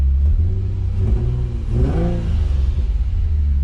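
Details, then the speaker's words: Nissan 350Z after replacing the starter that wouldn't engage: engine catches, runs steady, then a clean rev up and down with no stumble; running normally. "the starter we're back in business she's running she started we're good"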